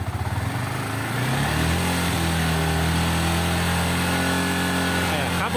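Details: Yamaha R15 revved to about 5500 rpm after fixing a metallic buzzing from the rear footpegs: revs cleanly and holds a steady high hum with no buzzing or rattling; footpeg noise gone, normal running.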